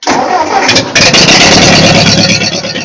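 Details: Ford 8N tractor after sitting for years, rewired with a GM-style one-wire alternator, fusible link and amp gauge, checking for charge: the starter whirs briefly, then it catches and settles into a steady, even, healthy idle.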